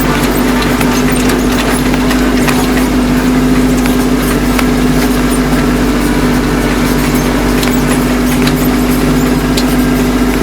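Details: Kubota B2650 tractor at about 2,000 rpm in high range over rough ground, after the folding ROPS rattle fix (Kubota part 53721-61533): steady diesel drone with an even low hum and no metallic roll-bar rattle.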